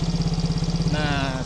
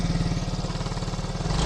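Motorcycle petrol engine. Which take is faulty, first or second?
second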